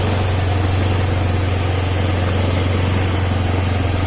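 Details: First-model Honda Vario 110, kick-started with the battery disconnected after fitting a new regulator/rectifier (kiprok); idle first set too high, then a steady, even low hum with no misses, running normally, proving the old kiprok was faulty.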